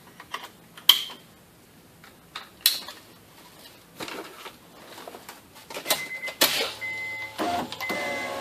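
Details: 2004 Honda Accord coupe driver window after window regulator and motor replacement: a few clicks then steady motor whirr, no grinding or binding; power window working properly.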